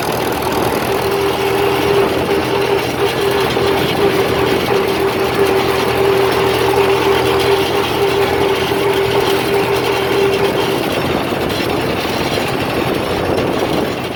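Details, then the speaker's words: 1947 Farmall M first start after rebuild, valves adjusted, oil put in cylinders: steady run with fairly even beat and faint steady tone, some flat spots; running reasonably well, slight exhaust hiss, muffler known to leak. "well it runs pretty good"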